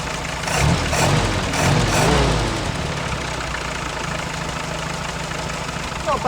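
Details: Early-1942 WW2 Ford jeep barn find, 79 years old, unrestored engine, after carb mixture adjustment: after a few throttle blips it settles into an even, steady idle with no misses or stumbling.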